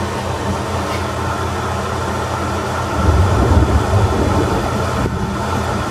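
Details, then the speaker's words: Atlas Copco SF4 rotary screw air compressor with internal dryer (480 V three-phase, 5 HP, 8 bar), 2,109 hours, loaded with the outlet valve closed, pumping toward 6.7 bar cutoff, at about 5 bar. A steady, unbroken low drone with a distant rumble that is thunder, not the machine. Running normally. "I'm going to turn it on. And we're going to watch it build up air pressure. The outlet valve is closed."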